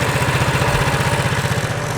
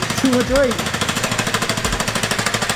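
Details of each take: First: Baja Warrior mini bike, after build: small single-cylinder putters at a steady, even beat with no sputter or misses; earlier sputtering came from wrong choke setting, runs cleanly once choke is set right. Normal running. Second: Baja Warrior 97cc mini bike with torque converter: rapid uneven popping that surges and sags without building revs; engine runs poorly, won't accelerate, then won't slow down once it does.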